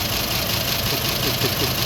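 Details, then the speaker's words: 2010 Ford F250 XL utility bed truck, warm idle after over 40 minutes of running: faint dull knock under hiss, not a valve or lifter tick, a little louder than normal; speaker suspects lack of lubrication that an oil change might improve; cause unknown. "it's not a tick tick like a valve or a lifter for me it sounds like lack of lubrication or maybe an oil change will improve it"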